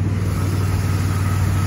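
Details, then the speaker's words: 2010 Chevy Impala 3500 (3.5L) V6, dirty engine bay, check-engine light previously cleared: steady, even low idle rumble with smooth pulse and no knocks or ticks; running good, exhaust a little loud despite a new muffler. "it's running good as you can hear the exhaust is a little loud even though it does have a new muffler on it"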